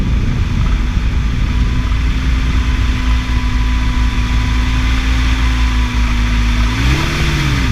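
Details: 2006 Toyota engine noise at idle: a steady low hum over a smooth idle that bends upward when the engine is blipped; source not yet found.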